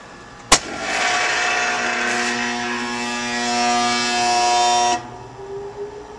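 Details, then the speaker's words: Kitchen heat pump outdoor unit with a history of leaking cooling coil: on power-up a loud steady electrical hum for about four seconds as the compressor fails to start, then the overload trips; fan motor alone draws 1.2 A; locked compressor. "the compressor is making that noise that's trying to start it's not uh coming online to circulate the freon"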